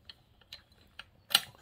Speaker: Look how loose this spring is. Okay, so and you can hear this clutch is rattly.